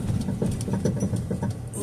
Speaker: listen to this thing rattle. Ugh. I hope we're not falling apart yet.